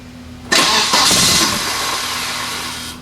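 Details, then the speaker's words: Volvo 940 turbo wagon after fixing a no-start in the fuel feed from pump to filter: brief crank, catches at once and settles into an even, steady idle with no leaks; normal start after repair. "i don't hear any leaks i have fixed a thing"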